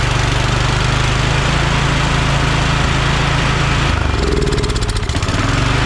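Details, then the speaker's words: Free Craftsman DYT4000 riding mower with Kohler Courage 20 hp engine, battery reading 12.79 V, fuel pump hooked up: firm, even thrum at steady speed with a brief throttle change, no rattles, exhaust leaks or knocks. Charging is good and the carb works decently. Normal running. "so yeah we got a good charging on the system if i need to replace the fuel pump i will not a big deal carb seems to be working decent"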